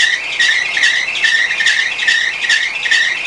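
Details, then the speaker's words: 2005 Honda Accord Euro 2.4 VTEC: loud shrill belt squeal pulsing about once a second, occurring as soon as a new serpentine belt was installed. "a major problem with it at the moment is that as you heard the belt is squealing what causes this issue let's check it out"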